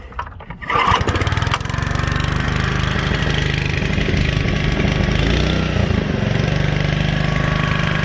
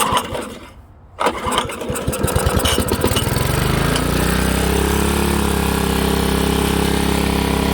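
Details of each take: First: Honda HRA215 SX self-propelled mower after carburettor cleaning: starts within a second and settles into a smooth, even drone with no surging. Normal running. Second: Old Honda HRA215 SX self-propelled mower, apparently sat in a shed for seasons, started on choke with a shot of fuel: a few uneven pulls, then runs only on choke and stalls when switched to run; carburettor main jet/emulsion tube plugged.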